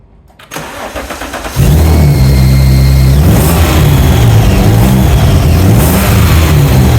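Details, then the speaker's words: Alfa Romeo 156 V6 after a rebuild and shell swap, on its first test run: a thin high whistle rises and falls with the throttle over the engine. "Whistling you can hear, and it sounds like it's coming from here."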